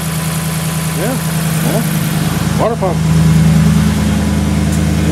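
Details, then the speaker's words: 2010 Dodge Ram 1500 5.7L Hemi with crunchy growl and rocking water pump pulley: with belt removed, idle runs smooth and steady and crunching is gone, confirming water pump bearing failure. "all right now you determine your water pump is toast"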